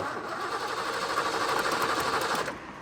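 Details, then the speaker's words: Mustang GT broken down roadside, after new ignition coil fitted: steady cranking about three turns a second that never catches or pops; crank, no start, no spark. "oh you got to be kidding me all right so the coil didn't fix it so we're gonna go after the tfi module"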